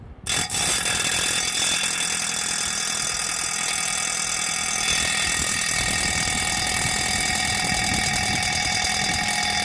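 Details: Rubine Pro Eco unit heard from downstairs outside, loud steady hissy mechanical roar with a constant mid tone and rough rattle underneath; abnormally noisy, cause unclear.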